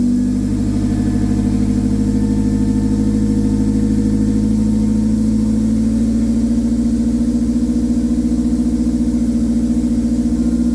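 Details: K24-swapped AE86 after fixing a hard-start problem where it sputtered and died on throttle: engine runs smooth and even with a steady low hum and clean pulses, no sputter or misfire; sounds healthy.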